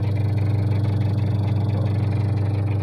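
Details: Washing machine after repair, now working; motor checked and fault not in motor: steady even low hum with soft regular pulse about three per second, no scraping or knocking, motor runs smoothly.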